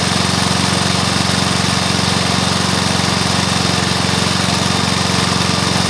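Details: Briggs & Stratton mower engine (believed early 1984), first start after rebuild with new piston, rings and valves for oil consumption (loose rings, worn valves); quick regular firing, even and steady at fast idle, no knock or miss; normal running.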